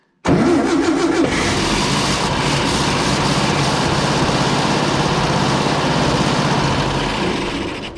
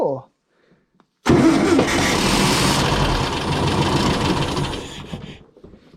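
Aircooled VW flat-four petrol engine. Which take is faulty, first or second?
first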